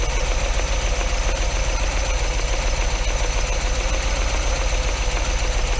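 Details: MGB engine after spark plug change, mic beside the engine, not yet fully warm, off choke: slightly uneven lumpy idle over a steady hiss, idling too fast; still a touch rough, carbs likely not balanced.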